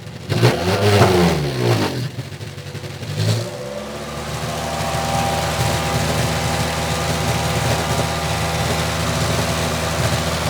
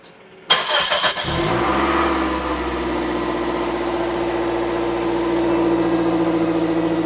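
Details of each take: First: 2006 Toyota Matrix 4WD, exhaust replaced forward of the muffler within two years: revs twice then steady idle with a dull, choked exhaust note from the rear; owner suspects muffler internals disintegrating and blocking, with a possible leak at the muffler clamp joint. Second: 2006 Toyota Matrix 4WD after muffler replacement, with the missing exhaust gasket under the clamp replaced: engine catches, settles into an even, steady idle, then revs smoothly with no rasp, rattle or leak puffing; exhaust sounds healthy.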